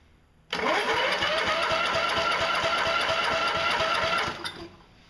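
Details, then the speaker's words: Toro electric-start push mower, model 20074, on the bench: starter spins the engine steadily for about four seconds with no firing; no spark because the kill-switch cable and lever under the flywheel keep the ignition grounded. "The complaint is that whenever you turn the key switch, it just, the engine spins over, but it won't start. You can prime it all day long. What's happening is there is no spark to the spark plug."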